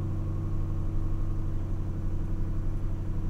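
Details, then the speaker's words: A 2006 Mustang GT V8, previously misfiring intermittently, has new MSD Blaster coils and Champion 7989 plugs. On a cold start after sitting four to five days, it gives a steady, even low rumble, with no shaking or skipped beats and no misfire. "okay start it up fine i don't feel any shaking which is good"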